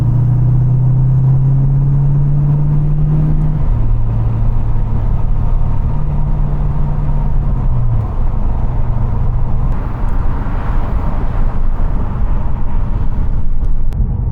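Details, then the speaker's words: 1994 Mustang GT V8 with Pypes SFM29V catback replacing Flowmaster Super 44s, cruising in 5th gear at about 50 mph, roughly 1350-1400 rpm, light load: low, smooth steady rumble with no drone; much quieter at cruise. "I'm actually amazed at how much quieter it is at cruise. So right now we're in 5th gear. We're going about 50 miles an hour."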